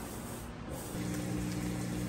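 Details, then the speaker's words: Whirlpool top-load washer draining wash water after deep-water wash cycle; water rushing, then a steady low hum as the drain pump runs quietly, evenly and fast, normal drain pump operation. "All right, it's draining that wash water out. And I wanted you to hear the drain, that the drain's working nice and fast."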